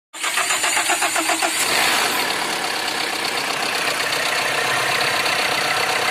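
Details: Tata Indica at 190,000 km: cranks briefly, catches and settles into a busy, rattly idle with a harsh metallic edge; engine noise, cause undetermined.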